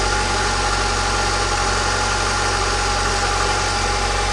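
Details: Lada Niva after drive belt replacement and re-tightening the dynamo (alternator) lower bolt: steady, even idle with smooth low hum and no belt squeal or chirp; normal idle, previous belt shriek gone.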